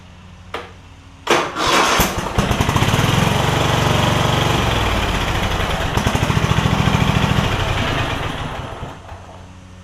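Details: Craftsman DYS4500 mower with Kohler Courage V-twin, after swapping the 12V ignition module to traditional coils: engine revs from low idle, holds a steady drone, settles back smoothly; running normally on both cylinders; small exhaust leak on the bottom.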